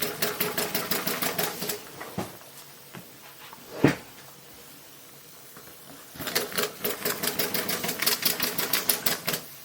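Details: Maxwell Hemmens Birmingham Dribbler steam model, long stood, low pressure, spun by hand: quick wet chuffs about three a second in fading bursts as it primes, clearing water; next run expected better.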